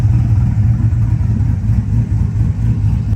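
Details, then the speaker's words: 2000 Silverado 5.3 Vortec LS with Stage 3 cam, after the fix, warm at operating temperature with AC on: a steady, even low V8 rumble with no hunting, the same in park, drive and reverse. Normal idle; surging solved. "Well, that seemed to solve the problem. Now we got the AC. No more surging on the RPMs."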